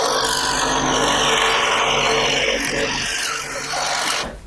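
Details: Second-hand Clarke 16" scroll saw after cleaning and new blade, cutting a wood sample: fast even rasping through wood, no knocking or stalling; cutting smoothly, sounds healthy.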